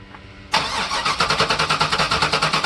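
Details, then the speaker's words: Chevrolet LT1 V8 that died at wide-open throttle, test start after replacing worn spark plugs: starter spins the engine at a quick steady rhythm, about seven pulses a second, but it never fires; no spark because the coil wire was left unplugged. "Yep, something's not connected. Did you disconnect the coil wire again? What? Did you disconnect the coil wire again? Yes. Coil wire's not plugged in down there."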